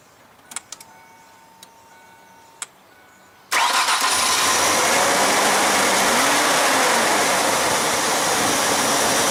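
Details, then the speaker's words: 2002 Ford Ranger 2.3 with over 200,000 miles, after new spark plugs, a new air filter, a cleaned MAF sensor and removal of a mouse nest, fuel filter not yet changed. Starter catches and the engine settles into a smooth, even idle; normal. "that sounds okay"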